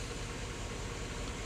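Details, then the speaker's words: 2006 Chevy Avalanche running with a misfire, owner says single cylinder; compression seems fine, cylinder 8 coil suspected from heater-core coolant leaks but already checked: low slightly uneven idle with faint stumble; idle misfire. "it's actually running right now and I could hear or feel the misfire owner says it's a single cylinder misfire"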